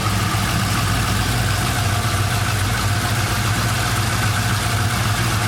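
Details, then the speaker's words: 1999 Holden R8 Clubsport Gen III LS1 V8, 250,000 km, first start after cam swap, idle propped up slightly high, temperature fine: warm steady, slightly lumpy cam beat with no knocks or ticks; normal, healthy idle. "Well, you can certainly hear the camp. That's not too bad, is it?"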